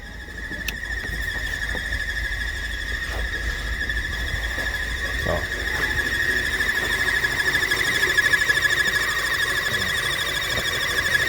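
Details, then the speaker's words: VW Tiguan 2.0 TSI at idle, check-engine light on, P0300 misfire codes: steady high-pitched whistle with a pulsing hoot; noise stops when the cap is opened, caused by a torn original PCV valve diaphragm. "faz esse barulho no motor ela aí eu vou abrir a tampa aqui ó ó e o barulho parou tá vendo"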